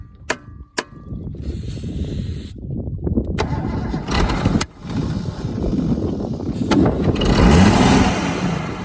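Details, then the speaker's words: Holden FC grey motor inline six at its first start in 50 years. It catches and stumbles unevenly at about three beats a second, missing on a cylinder; the owner suspects a spring-related miss. "chain oh she miss yeah I think it's a spring Miss"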